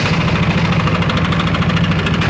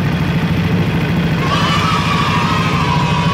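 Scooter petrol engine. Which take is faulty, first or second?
first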